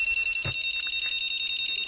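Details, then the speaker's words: Honda keyless motorcycle anti-theft alarm after registering a new remote, triggered by tapping the SCU/receiver: shrill rapid string of evenly spaced high beeps, about fifteen a second; alarm working properly. "sip ya, berarti benar sudah aktif ya, alarmnya anti malingnya sudah aktif."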